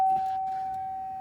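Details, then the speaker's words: 2004 Cadillac STS with battery just reconnected: a single steady high chime fading over about a second at key-on, no cranking follows; no-start, cause unknown. "get all right try to start it nothing let it go this is what I get"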